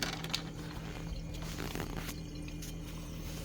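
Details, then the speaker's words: Samsung Zipel SRT686FVIS refrigerator, rear panel open at the condenser and fan, after fix: newspaper wedged between condenser and floor stops the rattling from a faulty condenser mount; low steady hum, faint upper tone, no rattle; running normally. "이렇게 신문지를 끼워 넣으니까 소리가 당장 없어졌습니다 따라 하는 소리 소음 소리가 예 신문지를 축기 에 긴간 어니면 소음이 완전히 그냥 사라져 버렸습니다"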